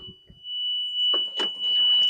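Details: Non-running limo golf cart bought off Marketplace, key on and reverse selected: steady high-pitched electronic tone sounds continuously over handling noise; reverse warning beeper working.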